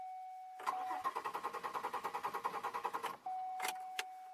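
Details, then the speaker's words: 2002 Chevy Malibu, warmed to temperature then shut off, after sitting four months: starter cranks briskly about eight even beats a second but never catches; no check engine light, anti-theft light goes out so not anti-theft; cause still unknown; crank no start when hot. "Nope! She ain't gonna start. Well, I'm gonna investigate that further."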